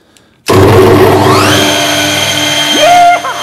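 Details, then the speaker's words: Workshop air compressor, first start after freeing it up: the motor starts and spins up to a steady even hum with a clean running note and no knocks or grinding; running well. "as you can probably hear she started up and she's running pretty good by the sound of things"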